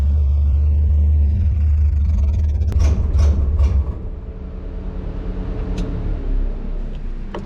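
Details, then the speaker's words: 1957 Chevy delivery V8 with Hilborn mechanical injection, warmed up after valve lash set by feeler gauge: uneven low-rev rumble that sags further; running rough, owner suspects lean, maybe too little fuel needing a pill change, unconfirmed. "All right, so that wasn't any better. I'm gonna pull the plugs and see if it still looks like it's running lean."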